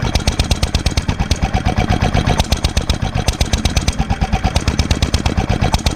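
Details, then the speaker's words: 1946 International Harvester LB hit-and-miss gasoline engine, freshly rebuilt, started cold, at full speed about 1,000 RPM; heavy loose thumps about three a second with uneven gaps over mechanical clatter: normal hit-and-miss firing. "that's full speed about 1,000 RPM is what it's supposed to be"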